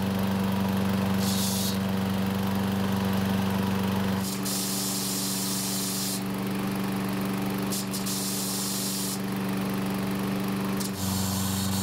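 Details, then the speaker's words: Troy-Bilt mower after fixing gasoline and oil leaks, starts on one pull: engine runs steadily with harsh metallic chatter over the hum as the starter pawls strike the flywheel posts, sounding terrible. "as you can hear the starter poles are making contact with the flywheel posts which sounds terrible"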